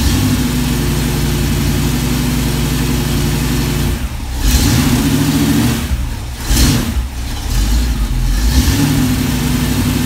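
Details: V8 on a run stand with block-hugger headers and Flowmaster 60 Series mufflers on mock-up adapters: a deep, steady idle with three clean, smooth throttle blips. The exhaust sounds even and mellow, quieter than the earlier black mufflers.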